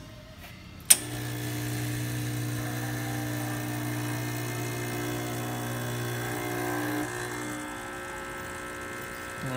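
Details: Quick Mill Silvano Evo espresso machine, after replacing a pump that was not running and causing low brew pressure: a steady, even low buzz starts sharply and holds about six seconds, then eases off; new pump working fine.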